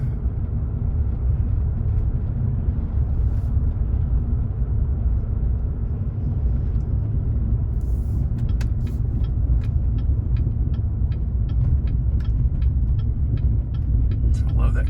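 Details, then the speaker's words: 2019 Chevrolet Silverado 5.3 L V8 with Active Fuel Management disabled by a Range AFM disabler; deep even rumble, then exhaust pops and crackles on throttle lift-off while driving, still on all eight cylinders; normal, healthy. "yeah that's a little crackling verbal from the exhaust as I let off because it's still in a cylinder so I'm loving that"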